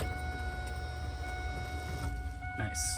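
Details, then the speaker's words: 2001 Pontiac Firebird Trans Am with newly built 6.7L LQ4 408ci stroker, key-on before first start: steady electric hum with a few clear high tones over a low rumble as the fuel pump primes normally; no leaks. "but car turns on i mean you got the power on and we heard let's hear it prime again yeah go ahead"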